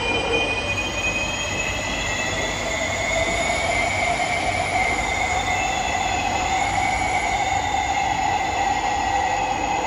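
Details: SMRT C151B train (607/608) running Bishan to Orchard toward Marina South Pier: loud sustained high-pitched screech over rolling rumble, shifting slightly in pitch; wheel or brake squeal suspected, not confirmed.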